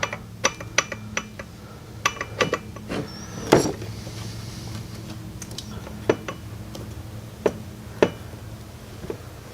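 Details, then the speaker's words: Predator 212 Hemi engine build with a 255-grind cam, crank turned slowly by hand with the side cover loosely on: sharp metallic ticks at uneven intervals, otherwise quiet, caused by slight cam gear backlash. "apparently it was just a little bit of backlash between the cam gear here so you can see what it was what it's doing when when it's held in place there's not quite that much but uh enough enough that you could hear it"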